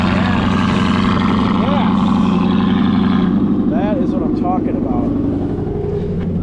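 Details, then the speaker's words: V8 with aftermarket intake at dealer auction, cold start: deep even burble settling into a steady idle with no knocks or ticks; healthy-sounding normal engine. "is a healthy sounding motor."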